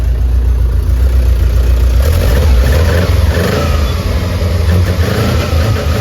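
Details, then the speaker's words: Subaru 2.2 engine with 1999 Legacy computer in a VW bus, just started with no coolant, run briefly: picks up cleanly from idle and revs smoothly, firm even note, no misses or rattles; normal, rock-steady running. "all right she just fires right up now I don't have any coolant in it so I'm not going to run it very long great I mean it is Rocksteady perfect"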